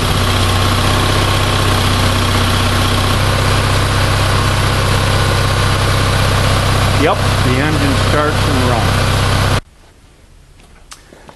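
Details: Onan 6.5 kW RV generator warming up on its original ignition, fuel pump and carburetor primed: even, steady thrum at about four pulses a second with no misses or knocks; runs smoothly before shutting off.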